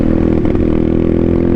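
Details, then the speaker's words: Pit bike at full throttle after carb and full cleaning: flat, uneven drone that never climbs in pitch, bogging with no power though it idles fine; owner suspects a blown motor. "I'm full throttle right now. Like, it's not running. Like, it's running, but not running good at all"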